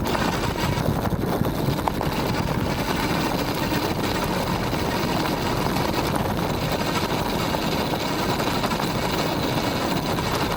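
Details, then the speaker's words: Aniioke A8 Pro Max dual-motor e-bike on rough gravel after tightening the stem and shocks and padding the controller with foam: steady tyre crunch with no clunks; successful fix. "I'm going to call that a successful fix though I still May bottom out the shock if I hit something hard enough"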